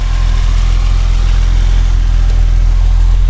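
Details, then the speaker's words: BMW E30 Touring at 176,619 on the odometer, cold-start test with a sport-style exhaust: steady, even low rumble at cold idle with no knocks, misses or rattles; starts right up and runs fine, a normal idle. "See 176,619 there, and you can hear it's running fine. I'll show you the engine bay. And it runs great."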